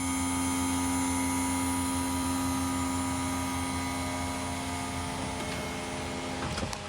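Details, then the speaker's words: Wheelchair lift hydraulic pump on bus after flushing old non-ATF fluid (likely original since about 2012 install); steady electric whine holds pitch without slowing at the top where it compresses gas struts, now more powerful and healthy. "wow it's got a lot more power too so normally when it gets to this top part where it has to compress these gas threats the thing slows down a little bit but now it just powers right through it that's awesome"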